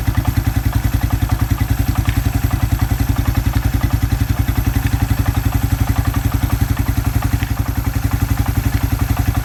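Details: Suzuki Quad Runner 250 single-cylinder idling under restoration, exhaust refitted back to spec and crank seal replaced with a TC oil seal: steady, even thump about four beats a second, no knocks or rattles; normal idle.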